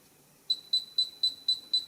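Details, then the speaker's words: Modified Chinese GP Pointer pinpointer in an air test on a gold ring, detecting at about 3/4 inch: short, clean, high beeps about four a second; it now sounds when touching the tip, which it didn't before the fix. "It detects it at that. But listen. You hear that? Before when you did touch the end, it didn't do that."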